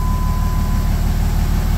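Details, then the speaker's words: 2004.5 Ram 3500 diesel after heat cycle and new starter; settles into strong, even low idle with no stumble or drag; slow start issue solved, cause was the bad starter; normal start and idle. "So we solved the slow start issue. It was the starter."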